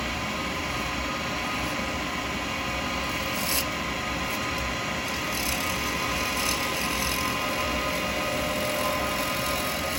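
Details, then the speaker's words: Wood lathe turning an acrylic pen blank between centres with a 12mm round carbide chisel: steady, even hiss, a smooth continuous shave with no chatter or catching; clean cut. "So I'm just trying to come down. So when you're getting a good cut, you can hear it."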